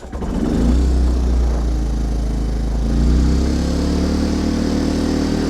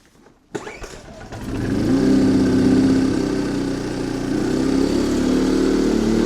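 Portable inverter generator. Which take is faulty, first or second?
first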